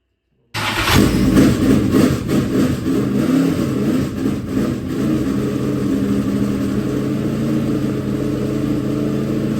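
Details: Freshly built dirt track race V8 engine start-up: cranks, catches, revs, then steady even fast idle, no knocks, sounds good, no visible leaks; normal running.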